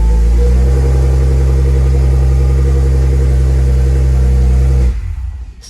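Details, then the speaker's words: Car on first crank just after installing a Quicker Racing 525 Hellcat low-pressure fuel pump kit with PTFE -6 fuel lines: deep steady rumble for about five seconds, then falters and dies; owner suspects not enough fuel. "Whoop. Wonder what happened there. I don't think it's got enough fuel."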